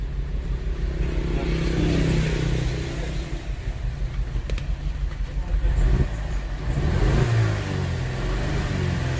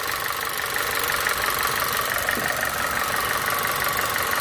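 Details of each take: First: Audi A4 1.8: rough, stumbling, lumpy idle and revs from an ignition open-circuit misfire on cylinders 1 and 4; after swapping the coil, a dead spark plug was found and replacing it cured the misfire. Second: Audi A4 1.8 petrol engine idling after misfire on cylinders one and four, coils swapped then dead spark plugs replaced: steady even idle with no stumble; misfire gone.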